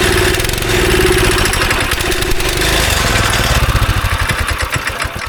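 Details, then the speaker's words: Go-kart engine sitting about 3 years, on choke with carb cleaner, held wide open: catches after cranking and stumbles with a ragged lumpy beat; old bad gas in a tank pocket draining missed, smells and runs awful. "So we got it to fire up. It smells awful and it runs awful. There's still some bad gas somewhere in the tank, like in a little pocket that I couldn't get out."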